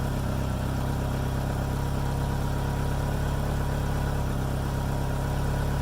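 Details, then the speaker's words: 2G DSM at idle after fuel filter replacement and fuel pump reconnected: low, steady idle rumble with even beat, no misses, surging or knocking; everything seems to be doing alright. "all right everything seems to be doing alright"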